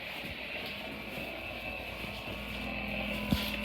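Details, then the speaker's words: Radio tuned to an empty low frequency near a wi-fi switch for porch lights: the hiss carries a steady buzzing whine with faint rapid ticking. The switch floods the band with interference whether the lights are off or on. "this is the switch right here it makes an amazing amount of noise and right now the lights are off"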